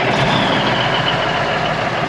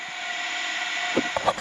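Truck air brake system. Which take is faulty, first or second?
second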